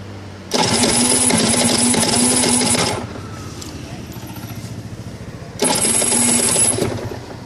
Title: Rs 125 cold start [Hard start]